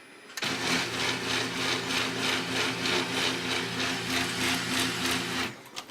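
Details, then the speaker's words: HP LaserJet P2055 while printing: loud, harsh hum and rattling whir pulsing about three times a second; fuser film, bushings and rubber roller replaced and gearbox and fuser drive serviced without curing it; quiet mode suggested. "ничего не помогает страшный шум идет"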